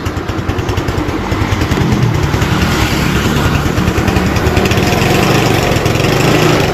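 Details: Motorcycle idling after reviving a weak wet battery (10 volts) while charging from regulator is checked, reading 13.5 volts; quick even putter holding without hunting or misses; normal idle.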